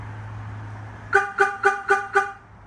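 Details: 2001 Chevrolet Tahoe aftermarket alarm with shock sensor tuned more sensitive: after a light knock, five short evenly spaced horn chirps about four a second; the warn-away is working properly.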